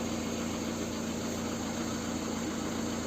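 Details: Lada Kalina 1.5 8-valve petrol, after repair of a burnt track on the engine ECU that caused misfiring and rough running: smooth, even idle with steady hum and no stumbles or shaking; normal idle.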